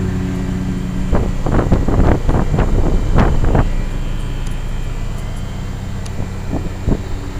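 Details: 1987 Carrier Round One 3-ton straight-cool central air conditioner outdoor unit, original to house; briefly cut out after startup (possible electrical fault), then running: steady low hum, constant pitch, wind gusts; normal running.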